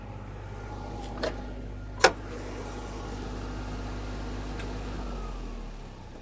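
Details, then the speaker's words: 2005 Alfa See Ya 40FD motorhome with ISL 400 Cummins, generator turned on: steady low hum at constant speed with a couple of sharp nearby knocks, then winding down; the generator runs smoothly. "So it's a little less noise. It's got a little competition, me talking loud."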